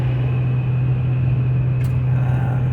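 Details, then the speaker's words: 2008 Chevrolet Silverado V8 with 203,000 miles, past intermittent cylinder 6 misfire, cruising on the road. A smooth, steady low drone with no stumble or missing beat. It fires evenly with no misfire warning lights; the flashing light is only the bad tire pressure sensors. "right so we got her going down the road i don't have any misfire"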